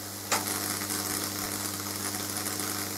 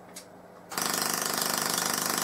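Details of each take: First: getting that down from 7 amp to 4.3 amp and still getting a decent size sparkler there Second: Full-bridge PLL solid state Tesla coil, low-power test with no interrupter fitted: harsh rasping buzz pulsing in fast bursts like an interrupted coil; owner suspects the CD4046 is switching on and off.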